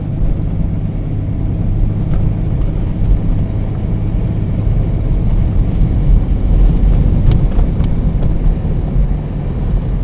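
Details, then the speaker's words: BMW E34 525tds diesel automatic, reportedly rebuilt gearbox, driving in drive; even low road drone with no clunk, flare or jolt as gears change up so smoothly they go unnoticed; smooth automatic gear shifts. "vahetuvad mõnusalt sujuvalt ise ka aru ei saa et ee käigud oleksid vahetunud"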